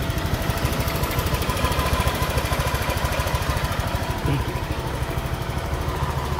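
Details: Honda Vario 125 injection scooter after replacing the cam rocker arm that caused harsh engine noise: steady, even low thumping about three pulses a second, no knocks or ticks; healthy running.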